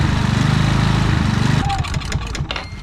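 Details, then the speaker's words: Predator generator after carburetor cleaning and jet poking, running without the air filter shroud: it chugs in fast, uneven pulses, then sags and hunts; the surging came from a misadjusted idle stop screw, not the carburetor. "well guys it wasn't really the carburetor i mean there was some dirt in it but it was actually just this little idle screw right here with it it uh allows the electronic idle to do its thing"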